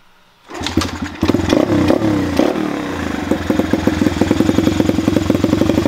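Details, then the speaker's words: Chinese pit/dirt bike after adjusting the carburetor idle screw: a kick, a few ragged catches with a blip of throttle, then the small single settles into an even, steady idle; normal idle after the fix. "so now you guys can hear it's actually at a good idle it's a very quick and easy fix"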